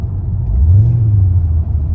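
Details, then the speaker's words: Pontiac GTO on a test drive after a battery change, with an existing transmission problem where the 2-3 shift hangs under throttle: deep droning rumble under acceleration, low hum rising and sagging; transmission or belt suspected, owner leans toward transmission. "definitely gonna have to see what that is i don't know if that's the transmission the belt or something"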